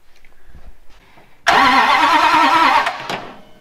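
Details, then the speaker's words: 1967 Dodge Coronet with a newly installed engine, coil just wired and fuel leaking, cranking; the starter churns steadily for about 1.5 seconds with no fire or pop because there is no spark. "let's let's crank it and see if it'll even pop or fart or anything we got fuel leaking stuff's not happy here we don't have any fire either no sparky sparkles"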